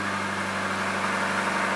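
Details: 2004 Subaru Forester XS, 4EAT automatic, right after transmission solenoid replacement, first start idling in park: smooth even idle, steady low hum, no knocks, misses or slipping noises; healthy.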